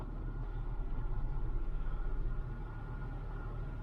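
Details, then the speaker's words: Low-mileage (36,251 miles) chain-driven Hyundai after startup with no chain rattle, air conditioning switched on: even, steady low idle with the AC fan whooshing underneath, no knocks or stumbles; normal idle with AC on. "idling nicely didn't hear any rattle on startup all sounds good"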